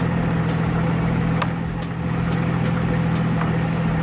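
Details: 2003 GMC Envoy 4.2 L after fitting correct replacement alternator, about 40°F outside: steady, even idle with smooth low hum, no knocks, ticks or whine; normal idle, owner then suspects a water pump noise.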